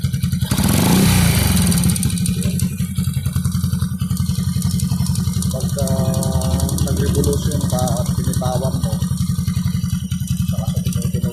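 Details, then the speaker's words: Warm 100/110/125cc single-cylinder motorcycle idling with a loose, marble-like knock about four times a second, worst after revving and releasing throttle. Piston slap from a worn, loose cylinder bore; block replacement planned. "Uminit na yung makina, makalansing na yan."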